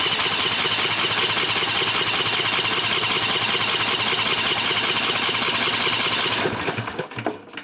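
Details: 1998 Briggs & Stratton Vanguard 16HP horizontal-shaft V-twin (model 303447) with steady fast starter churn, about two and a half beats a second, never catching. Cranks but won't start, no fuel to carburetor from cracked fuel pump vacuum line.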